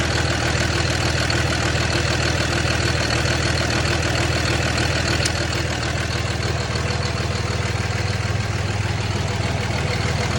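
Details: 2006 Cummins diesel pickup idling rough with a deep, uneven chug wavering in strength; DTC codes for fan clutch and wastegate solenoid.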